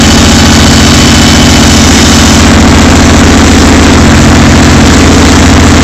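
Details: Rebuilt 454 Chevy V8 in Argosy motorhome, second start after rebuild, no exhaust system fitted: very loud raw rapid barking at steady fast idle, completely unmuffled.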